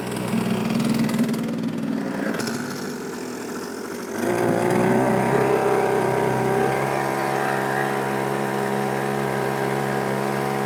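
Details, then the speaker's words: YADAO 3.5 HP two-stroke outboard, brand new, first run after starting on the first pull, 32:1 fuel mix on regular fuel; steady even buzz once it catches, no misses or knocks; relatively quiet and healthy, though owner notes it seems to want to bog down. "I mean for the most part everything seems like it's good I mean it's a relatively quiet unit you know"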